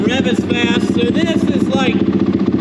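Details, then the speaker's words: Honda 450R quad on its first couple of starts after a rebuild, with a Vortex ignition set to the stock map, which is said not to rev much. The single cylinder blips lazily but cleanly with no misses or knocks: normal revving. "all righty so this is like stock map it kind of doesn't rev"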